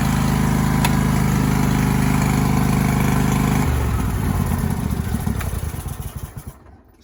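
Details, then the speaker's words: John Deere lawn tractor with 613 hours, after cleaning the drive belt pulley and applying WD-40 to fix a pulley noise: steady, even engine drone with no squeal or chirp, then it winds down. "that fix the problem that's what it was"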